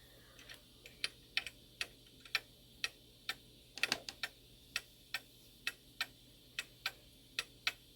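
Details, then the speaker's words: Shanghai 555 clock during repair; quiet uneven tick-tock a little over twice a second, weak beat, later traced to wrong pallet depth needing adjustment: weak, uneven beat. "Might have to do another adjustment. Sounds like it."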